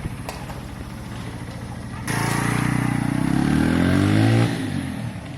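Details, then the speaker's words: Keeway/Benelli 125cc single on a test ride after carburettor clean, previously not revving properly, spark plug not yet cleaned; pulls cleanly, pitch climbs smoothly then drops back without stumbling, normal running and revving. "oh wow sounds and looks lovely yeah that's riding perfectly guys we haven't even cleaned the spark plug yet not that that makes much difference that's running well"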